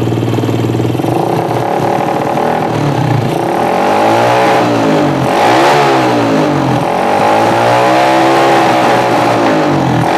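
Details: Yamaha Jupiter MX motorcycle, brought in dead and hard to start because its battery had run down with nothing charging it; after charging-output wiring repair (about 13 V read), engine revs up and down cleanly through several sweeps, even and healthy.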